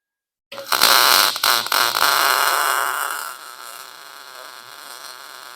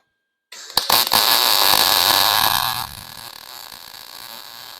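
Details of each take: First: Lincoln Pro-MIG 140 welder, wire speed set to 6, chattering gone; about two seconds of harsh, uneven arc crackle with stutters and dropouts, wire feeding too fast and stubbing. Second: Lincoln 140 Pro MIG, 110 V, after blowing out the liner and turning wire speed up slightly: about two seconds of steady, even crackle like frying bacon, no pops; healthy MIG arc with good wire feed.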